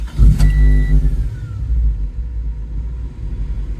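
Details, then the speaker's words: 1995 Honda Civic with a faulty ignition switch: the engine catches with a strong burst, then dies within a second and winds down, wanting to start strong but not staying running. The instrument cluster lights were out with the key on, the fault was intermittent, and all fuses were good. "something new it sounds like it wants to start strong but it won't stay started"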